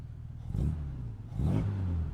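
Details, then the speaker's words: 1959 Jaguar XK150S Roadster, warmed up, carburettors recently overhauled, good oil pressure: two crisp throttle blips, revs rising and dropping back cleanly with no hesitation or clatter after smooth idle; healthy throttle response. "So there we go, nice smooth idle, good oil pressure,"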